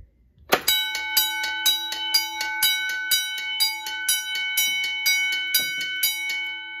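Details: Edwards 6616 fire alarm control panel bell after repair (cooked main control card capacitors replaced, reset successful), set to code 3: bell starts abruptly, steady strokes about two a second, bright sustained ring, sounding normally.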